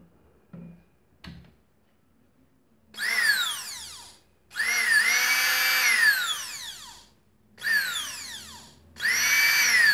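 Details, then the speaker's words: Mixer/blender model BMM 01, 127 V, 400 W, previously would not switch on; tested after repair: four short bursts of high, even motor whine spinning up and coasting down smoothly, no grinding or sputter; works perfectly. "e funcionou perfeitamente"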